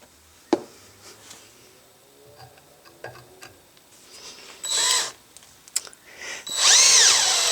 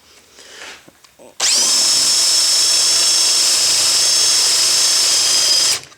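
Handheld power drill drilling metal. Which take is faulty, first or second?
second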